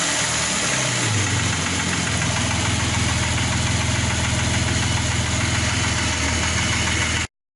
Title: стук мотора после сборки